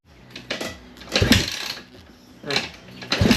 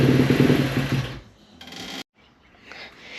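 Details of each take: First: 2017 KX250F single after fixing a fuel pump issue: repeated hard kick-start strokes, then after about eight seconds it catches and holds a steady, crisp idle; running normally again. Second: 2017 KX250F after rebuild, unstarted for weeks, running on intake cleaner spray: fires briefly then fades and stalls within a second despite idle screw and choke tweaks; a fuel issue is still a maybe.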